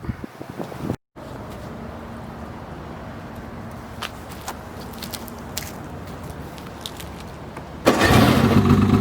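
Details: 2007 Polaris 600 HO LX Cleanfire snowmobile, before tear-down: light two-stroke idle with a few small pops, then a sharp rise in revs near the end; engine runs and revs freely, normal.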